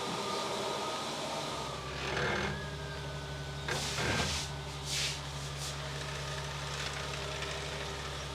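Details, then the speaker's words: BMW 760Li V12 after replacing both fuel filters with correct OEM filters: fires straight up, then smooth, even low idle with no stumble or miss, a few clanks nearby; normal idle, checked with no leaks. "there he goes yeah fired straight into life let's go check for leaks we're all good no leaks"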